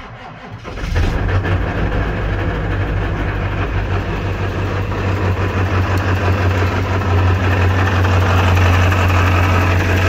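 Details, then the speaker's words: Ford 7.3 Powerstroke diesel truck, cool January morning, started after glow plugs cycled: heavy loud rattle over diesel clatter, about three beats a second, from bell housing at idle in neutral; quiets in gear or reverse, owner suspects transmission issues. "pretty sure you can hear what I'm talking about does not sound good however I put it in gear that noise goes away that's neutral reverse quiets down again back to neutrals noisy and nasty again"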